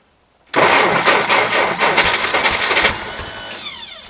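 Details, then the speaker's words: 1960 Jeep CJ, first start in years, cold at about minus 30 on a new battery; cranks with uneven catches and brief firing bursts, then dies; owner suspects it needs a little more fuel. "nice need a little more fuel probably"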